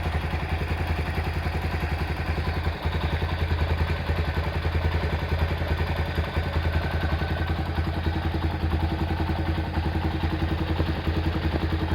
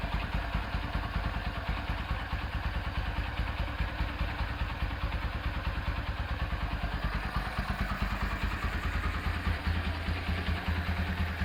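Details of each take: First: Honda Tiger Revo engine at hot idle: light even tick from the cylinder head about three a second, quiet when cold; loose rocker adjustment and worn valve stems, with oil seepage noted. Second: Honda Tiger Revo engine after full rebuild and carburetor refresh, fitted with BRT camshaft: steady, even fast-idle thumping with slight irregular carburetor spitting blamed on the BRT cam; normal running.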